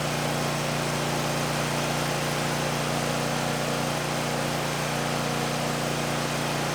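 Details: 2019 Bad Boy Maverick mower with a Kohler 747 V-twin, near 100 hours, just serviced with new oil, oil filter, air filter, fuel filter and spark plugs; even steady low drone with no misses or knocks under heavy rain hiss, idling smoothly and healthy.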